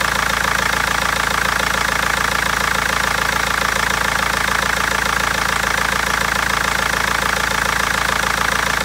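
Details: BMW 320d diesel at idle: sharp regular knock, roughly 167 per minute, with an uneven misfire beat; injectors or tappet suspected, mechanic and seller unable to find the cause for over a month.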